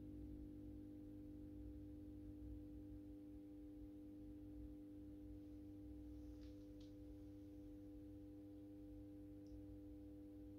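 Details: AEG Minikoffer West German post-top mercury vapor streetlight with its mercury ballast, starting a 125 W Osram mercury vapor bulb. Steady, pure electrical hum at a fixed pitch with overtones, unchanging during warm-up: normal magnetic ballast hum.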